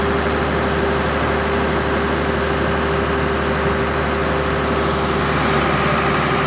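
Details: 6BT diesel generator after repairs, during a load test: steady, even drone with a constant whine on top and no knocks or hunting. Running healthy under load.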